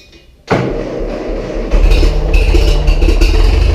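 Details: Massey Ferguson 135 diesel tractor, first start after oil and filter change and valve adjustment, high-low in neutral: short crank, catches at once, settles into steady, even low idle with no misses or knocks; healthy start.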